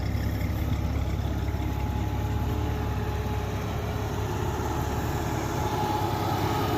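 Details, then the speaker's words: 1989 Jeep Comanche Eliminator 4.0L, AW4, hotwired and idling in neutral: a steady low idle with an even fan rush over it. The electric cooling fan is running hard, the only thing keeping the Renix cooling system from overheating instantly. "You can hear the fan running. That's the only way it won't overheat instantly. But the electric fan is not the keystone of a cooling system. It's the last line of defense."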